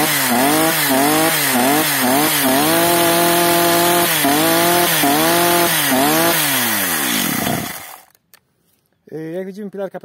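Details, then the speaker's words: Stihl MS 230/250 chainsaw after the L screw was richened one turn, while warming up. Revs rise and fall unevenly, then die to silence. It runs better but still stalls; mixture possibly over-adjusted. "pracuje lepiej jednak gaśnie"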